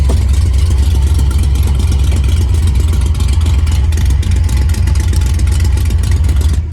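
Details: Ford Mustang Fox Body V8: loud raspy puffing on every firing pulse over a rough, heavy run, sharper on revs; exhaust leak at a blown header gasket, sounds like a dump truck.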